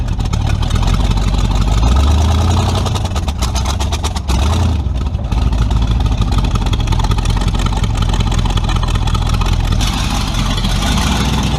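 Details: Tunnel-ram 350 V8 with two Edelbrock 600 cfm carburetors (1405/1406), driveway test after a jet and metering-rod change: deep rumble rises with throttle but sags and stumbles before picking up.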